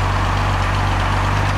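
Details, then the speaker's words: Mercedes-Benz 230SL Pagoda W113 classic at idle after cold start: steady, even low hum with no ticks or knocks; engine runs smooth and healthy. "nice night we're just listening have a quick look at the front of the car we'll listen for any any noises nothing"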